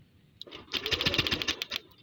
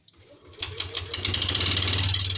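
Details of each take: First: Yamaha Lexi 125 showing error code 61, compression check while cranking on the starter: a brief burst of strong, even cranking about ten beats a second; the loud cranking means compression is healthy. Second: Yamaha Lexi 125 scooter that showed error code 61, now starting after a worn spark plug was replaced: after a few cranks it fires and settles to an uneven, harsh idle, still running rough; engine teardown planned.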